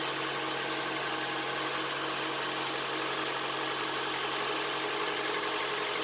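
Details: 2007 Honda Accord, first start after a timing chain replacement (Melling kit): a smooth, steady idle with no ticking or chain rattle while warming up. It sounds good, with no check engine light.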